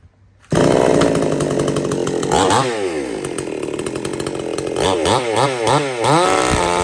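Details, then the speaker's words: Supmix 54cc clone chainsaw (sold as 55cc), not run for 2 months, cutting wood: revs high and clean, dips and recovers smoothly without lugging or bogging; runs flawless, though chain loosens and oiler is slow to kick in. "other than that thing it just runs Flawless it's you could hear it there it didn't even lug down like it it cuts good"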